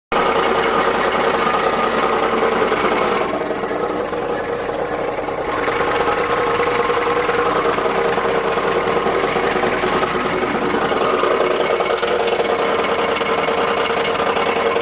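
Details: 1987 Ford F250 7.3 diesel at idle: harsh rough grinding rattle over steady clatter, worst at idle, gone by about 1500 rpm; occasional clunk when cranking; flexplate and torque converter bolts tight, starter fine, no metal shavings; cause unknown.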